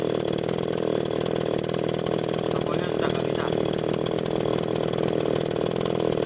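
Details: Small two-stroke agricultural sprayer engine after new spark plug fitted, carburetor being checked: high buzzy note holding constant speed without stumbling or cutting out; runs evenly and normally.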